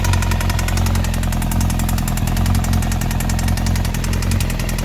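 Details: 2002 Yamaha YZF-R1 after a year in storage, with the cam chain tensioner recently replaced without fixing the problem. Fast, even metallic ticking and rattle over a steady idle, loudest at the top end. Owner checked the EXUP and exhaust manifold bolts; source not found.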